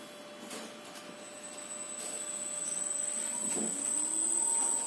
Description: К восстановленому нами частотнику подцепили двигатель. Свистит, зараза.